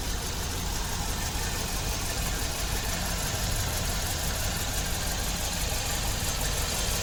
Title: 2006 Kia Rio 126,079 Miles Random Misfire Walk Through